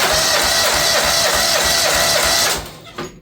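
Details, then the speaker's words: Small-engine mower missing on one cylinder: with the working cylinder's spark plug boot pulled it gives rapid even chuffing of about three a second, then dies and won't keep running. That cylinder is the only one doing the work. "Okay, it won't fire off. So that tells me this cylinder is doing the work."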